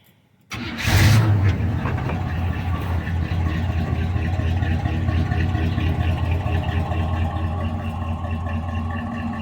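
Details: 1981 Chevrolet C10 with swapped TBI 350 V8 and Turbo 400 transmission, loud exhaust; cranks and catches at once, then settles into a loud, deep, even idle with steady rumble; runs healthy and smooth, normal idle.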